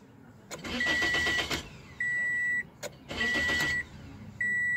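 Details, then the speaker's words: 2006 Toyota Corolla S crank no-start: two bursts of starter cranking with a door chime between, engine never catches; scan tool shows crank sensor rpm intermittently at zero, a bad crankshaft position sensor. "that's the way it should be register me stop it crank it again so we got a bad crank position sensor"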